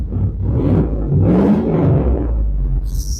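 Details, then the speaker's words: Tahoe V8 warming up, gauge at 49, heard outside: deep rumble surging and dipping unevenly at idle, lopey choppy beat but steady, owner likes the chop — choppy idle. "Yeah. I love that chop sound it makes. Oh. There we go. Sorry about the lighting there. So I like that choppy sound it makes."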